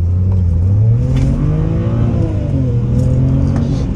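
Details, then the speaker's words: Engine warmed up after reinstalling all injectors to cure a misfire code and limp mode: strong, smooth pull under hard throttle, note climbing steadily with no stumble or misfire; now runs properly. "look at that this thing actually pulls now"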